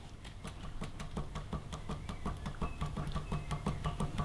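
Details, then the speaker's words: Sarto custom handbuilt bike frame, under two weeks old, Dura-Ace 9100 chainrings, chain off, crank hand-spun: gritty low rumble with rough ticking each turn, feels like rubbing; no lateral play, drive-side bottom bracket bearing suspected collapsed. "if you just give it a spin it's okay but you can hear it rumbling it almost feels like it's rubbing however i'm hoping this gets picked up by the mic"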